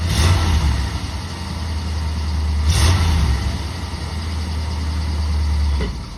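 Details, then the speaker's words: 1963 Ford Thunderbird, 390 V8, driving after exhaust replacement (left manifold donut, perforated tailpipes, blown mufflers): deep, even burble and low rumble with no ticking or puffing. Normal, sealed exhaust note, quiet with no more leaks. "There it is, guys. Nice and whisper quiet. No more exhaust leaks. Doesn't sound like a bomb going down the road now."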